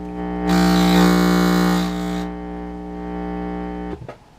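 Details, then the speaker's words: Midwest tube radio being restored, volume control touched with set on: steady low mains hum through speaker with rough buzzing surge when touched; proves audio chain through first and second audio amps, inverter and push-pull power amps is okay. "that would prove out the audio amplifier chain that would tell you that everything from this point onwards through the first amplifier first Audio amp through the second Audio amp through the inverter and into the power amplifiers is okay"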